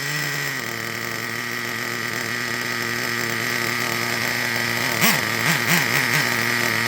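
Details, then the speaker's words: Traxxas Revo 3.3 nitro engine after tuning: steady high buzzing idle with even firing and quick clean throttle response, no cutting off; healthy, well tuned. "So if you notice a lower RPM, and notice also that when I hit the throttle, there was kind of a kind of quick response, and it didn't cut off on me."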